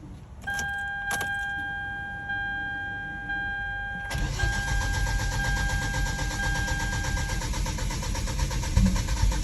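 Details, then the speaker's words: A 600 hp Hyundai Genesis catches after a chime and brief crank, then settles into an even idle. This is the first start after replacing a dud battery, which seemed to be the only problem. "Woo! Jenny started again. Alright, cool."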